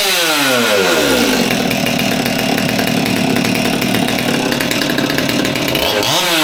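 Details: Old Stihl MS200T top-handle chainsaw that idled fine but wouldn't rev up, after teardown and fuel line replacement (suspected cause): revs sweep up cleanly and hold a steady high buzz without bogging or cutting out; now revs properly.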